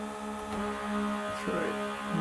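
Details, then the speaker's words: DIY 3D-printer filament vacuum-bag pump built from several mini vacuum pumps on a 5 V 4.2 A four-port USB supply, plugged in one at a time: steady buzzing hum, a new tone joining with each pump, running smoothly and sucking well. "it sounds like a symphony and I can definitely hear it sucking so just test it"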